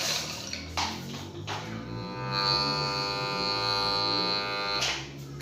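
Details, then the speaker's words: Electric water pump plugged in, humming without spinning, rotor stiff: steady electrical drone with no spin-up; cause dirty armature and worn bearing, armature cleaned; seized pump rotor hum. "Oke dia berdengung ya Oke jadi ini kita putar lagi dan di sini malah keras ya"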